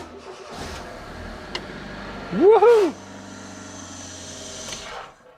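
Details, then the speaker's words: Engine just after a cambelt change: cranks and catches to a steady idle with a brief harsh scraping squeal at start-up, caused by a wrongly fitted small washer rubbing the timing belt pulley. "it's not really supposed to sound like that is it because i fitted a small washer wrong so that actually scratched against the pulley wheel"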